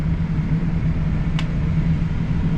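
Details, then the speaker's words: Commercial fan coil unit after its fan was not running, switched on in bypass/hand: startup sounded bad, then a steady, even low hum with one light click as the fan moves; fan now running. "that's awesome you can hear the fan moving now"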